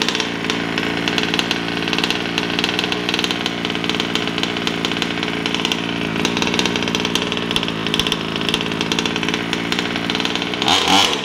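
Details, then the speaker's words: Brand-new Taylor RC 35cc two-stroke in a DBXL 2.0 with a Bartolone Racing exhaust and air filter, on first start during heat cycles before any full throttle: high buzzy note holding a steady speed with no sputter or cutout; sounds great, running healthy. "but she sounds great she sounds nice"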